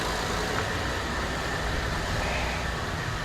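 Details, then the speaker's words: 2020 Infiniti QX60 3.5 L with former cylinder 2 misfire (P0302), bad fuel injector replaced, just started and warming up: steady, low, even idle hum with no stumble or shake; no fuel leaks, check engine light no longer flashing. "everything sounds good I don't see no leaks anywhere no fuel leaks so far it sounds good we're going to let that idle down"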